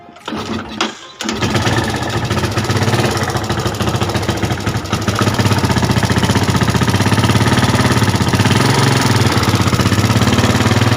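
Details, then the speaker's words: Yamaha Jupiter Z motorcycle starting and idling with a fast, light ticking knock over rough beat; engine also leaks/wet with oil and fouls spark plugs quickly. "Oke dah kedengarannya suaranya seperti ada klitik klitik sedikitkah"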